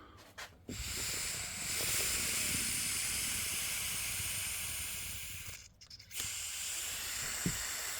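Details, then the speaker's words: 2000 Honda Rancher ES TRX350 carburetor during cleaning, air blown into the fuel inlet: steady airy hiss that cuts off briefly when the float is closed; float needle valve closes and seals properly. "So you blow into the fuel inlet and you listen to your air coming out. And when you close it with your finger, you'll hear the air stop, and that's when you know your float's closed."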